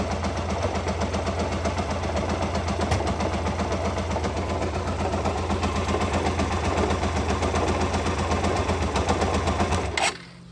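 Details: 2007 Hyosung GT650R V-twin at low RPM (1,000–3,000): rhythmic galloping grind about four pulses a second, loudest at cockpit, gone above 2–3k; fresh oil, occurs clutch in or out, neutral or in gear; bearing failure suspected.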